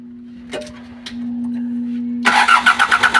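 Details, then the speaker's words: Engine starting right after oil pump and timing belt replacement, before coolant is added and with the alternator not yet fitted: a steady hum, then it catches and settles into an even pulsing run of about three beats a second; clean start shows timing is correct. "Yun, mandar. Okay."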